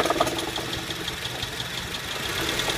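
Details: 2008 Honda Civic at idle: a light, rapid ticking knock from the belt-driven accessories, present from start-up and worse returning to idle. Caused by a failing AC compressor bearing, which later seized and the compressor was replaced.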